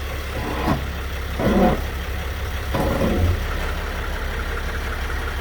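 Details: 2010 Sprinter, drivetrain rocked at idle: dull clunks break through the steady idle from the rear differential.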